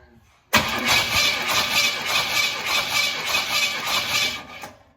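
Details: 1969 Pontiac Bonneville V8 with excessive blow-by, compression test with plugs out: steady starter cranking with even pulses, about three per second, no drop-outs; this cylinder's compression sounds healthy.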